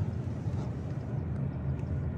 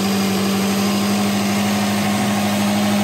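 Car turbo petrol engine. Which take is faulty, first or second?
first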